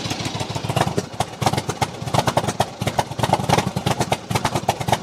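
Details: 2007 Yamaha V Star 1100, fuel on reserve: V-twin stumbles and fires unevenly with lumpy, ragged beats, struggling to idle; cold-blooded, reluctant cold start, then sounds good; cause unconfirmed.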